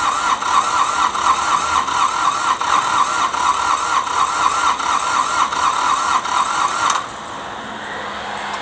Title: Hard starting D905 ASTE A155 prepare for recon.